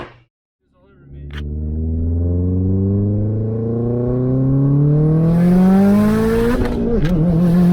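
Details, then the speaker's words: Subaru wagon under boost after replacing fuel pump, fuel filter, and coils/plugs to cure fuel pump cavitation and spark blowout misfire; full-throttle dyno-style pull climbs smoothly without stumbles or cut-outs, then lifts off; pulling cleanly. "so we did another pull and you can see from the video that we took that that pretty much solved all of our problems"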